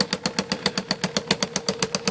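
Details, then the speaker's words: Correcting IBM Selectric II typewriter with a center hub cracked all the way through: sharp, even thump repeating about eight times a second with a clicky top, and the mechanism stops when a character key is hit; the hub must be replaced. "you can hear a thump doesn't want to thump now the sea is turning and if you come over here and I hit the character those are going to stop that's not right"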